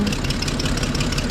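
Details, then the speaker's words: 1991 Toyota Land Cruiser just after throttle position sensor replacement: uneven, lumpy idle with loose knocking beat and hissy edge, struggling to stay running; owner suspects vacuum leaks, exhaust also badly leaking; cause not confirmed. "Okay, so she's running now. Um, I just been having issues with it in general, like staying on. I think it has like some vacuum leaks."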